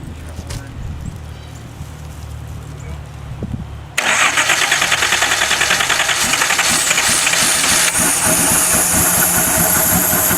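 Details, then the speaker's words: Donor 1977/78 Datsun 280Z engine, non-emissions model with square ports, sat outside and was slightly seized, oil put in cylinders, running on old two-stroke gas from a held fuel line; cranks briefly, catches and runs steadily, slightly uneven as the throttle is modulated, smoking from the oil; normal running. "as you can hear it's a runner I think we got a good engine here"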